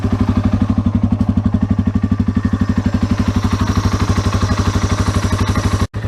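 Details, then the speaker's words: 2004 Yamaha XT225 single-cylinder, fired up right after an oil and filter change, choke possibly needed; steady, even thump with no ticking or tappet clatter; healthy, smooth idle. "You can hear right away the oil's circulating through the engine. You don't hear any tappets clacking, anything like"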